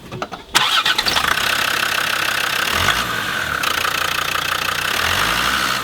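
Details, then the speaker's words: Land Rover Defender TD5 diesel starting and settling to an even idle after replacing the belt tensioner, two idler pulleys and the fan belt; the chirping belt-area twittering noise is gone. "Now I have changed two pulleys and the belt with two small bearings and the noise is gone as it has stopped twittering"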